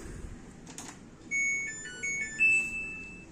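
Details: Samsung washer/dryer, no-power fault, after repairing the main PCB: quiet background, then a short run of bright electronic chime notes rising in pitch as it powers up and responds; normal power-on chime.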